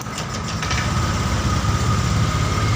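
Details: Honda Vario 125 fuel-injected scooter, just started after an engine rebuild: a fast, steady idle with a faint high whistle that never drops, and the idle screw has no effect. The TP sensor reads 0.83 and rising; cause suspected, not confirmed.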